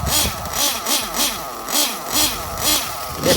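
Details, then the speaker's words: RC nitro engine being warmed up: crisp blips about twice a second dropping back to clean steady idle; normal idle and revs. "It has a good oil seal. So it idles very, very smooth. And it screams down the straight."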